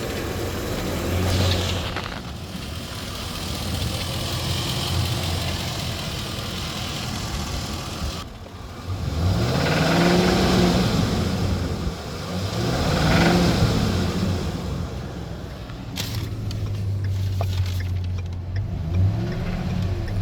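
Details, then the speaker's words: Pre-purchase inspection of a 2011 Ford E350 van, 5.4L V8: idles then revs in two rising sweeps to about 2,000 rpm; a faint regular knock under acceleration, possibly from one side of the engine; scan shows incomplete evap monitor. "all right I heard what kind of sounded like a knocking sound possibly coming from over here all right I'm going to sit this right here and I'm going to go accelerate"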